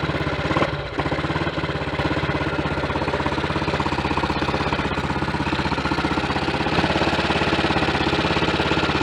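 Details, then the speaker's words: Triumph Tiger Cub single on a frosty morning, cold start on half choke after new carburettor slide, needle, needle jet and main jet leaned the mixture: brisk even beat, no misses or coughs; normal cold warm-up on choke. "Trying to get that half choke position, but it's difficult when you've got gloves on. There it is, right. We warm up like that for a little bit."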